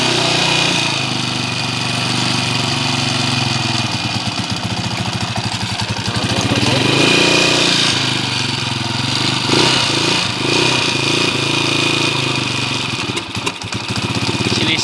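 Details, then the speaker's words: Honda TMX155 single-cylinder motorcycle before engine rebuild, noisy despite four mechanics: loud, busy running with uneven, stumbling beat and occasional hiccups; rough running engine, quiet and smooth after rebuild. "okay narinig niyo na yung andar nung kanina mga bro maingay"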